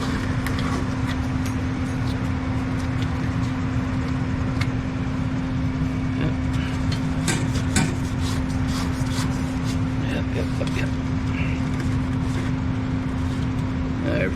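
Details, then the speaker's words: Furnace after replacing a fried thermostat that had stopped it turning on: constant low hum with a steady mid tone and light ticks underneath; it cycles on and off from the thermostat as it should, running normally. "It kicked off like it's supposed to. Everything looks good."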